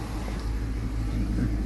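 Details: 2015 Dodge Charger with hard starts, after fuel pump replacement, fuel pressure now holding a little over 60 psi: steady, even low rumble with no misses, stumbles or knocks; idles smoothly and healthy.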